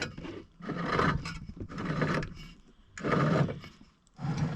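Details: Non-running Kohler K19 4HP engine from a Howard 300/350 rotavator, filthy plug, turned over by hand to check the exhaust valve: slow, dry rasping grind swelling about once a second, source unclear; exhaust valve moves and clutch spins.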